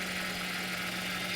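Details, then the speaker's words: Mercedes SLK with 3.6 litre VVT engine, traction-control and stability service lights on, no check-engine light: steady idle with low hum and a strong constant buzz from under the hood; possibly power steering pump, source unknown. "Let's pop the hood and see if we can find out where that buzzing sound's coming from. So I'm not sure if you can hear that. Is that power steering? What type of pump makes that noise?"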